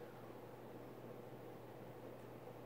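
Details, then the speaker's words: Emerson 1895 Series 52" ceiling fan CF4352PB04, KB-55 stack motor, mid-late 80s, on high speed, rebalanced with slight wobble: steady airy rush over low even motor hum, no knocks, strong air movement; normal running on high. "the air movement is as expected very good just being a stack motor fan and these fans always moved a lot of air I really like these"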